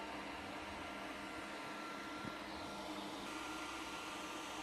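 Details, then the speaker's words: Geeetech A20M 3D printer (2020 version) idle, motors off, only fans running: steady airy rush with thin high whine from two 30x30x10 head fans, radial fan and very loud 60 mm electronics-cooling fan under the printer. "Et ici, le bruit ne provient uniquement que des ventilateurs. Alors imaginez un peu lorsque l'imprimante est en route et que les moteurs fonctionnent."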